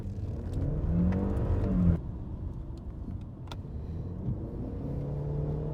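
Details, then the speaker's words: BMW E90 320i 2-litre four-cylinder petrol on the road after sensor replacement: steady engine drone swelling and easing with speed, no knocks, misses or ticks; not much power but enough for everyday driving, everything working fine. "it doesn't have much power since it's a just a 2 liter petrol but it has enough definitely more than enough for everyday driving"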